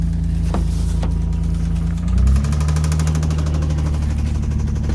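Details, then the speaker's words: 6th-gen manual Nissan Maxima with 4-inch intake and gutted intake manifold: rough idle with uneven knocking under the rumble, note dropping while knock persists; owner suspects possible rod knock, unconfirmed. "sighs you can tell this thing is in some pretty rough shape right now what I assume in that is is I don't want to say rod knock maybe"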